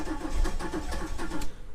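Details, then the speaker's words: 1997 Camaro rescued from crusher, fuel pump primes: cranking with uneven sputtering pops, firing on only one or two cylinders, never catching; misfire from failed ignition control module and coil pack. "it's definitely uh sounds like she's trying to go like it's firing on a cylinder or two but just not enough"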